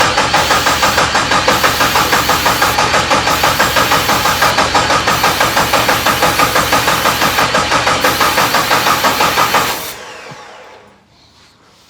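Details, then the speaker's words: 1972 Jeep Commando with 2000 Cherokee 4.0 straight six swap: steady starter cranking about three beats per second for ten seconds, no firing at all; crank no start, suspected spark issue, coil pack unplugged. "it's probably a spark issue then huh"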